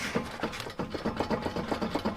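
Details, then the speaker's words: 2004 Toyota Corolla S near 300,000 miles, driver-side front wheel bearing with play, lug nuts tight. Rough knocking and rubbing clicks as the tire is rocked by hand; it also hums while driving. "on the driver's side this is the one that has the wheel bearing issue don't know if you can hear that but all I'm doing is pushing on the tire and the lugs are still tight"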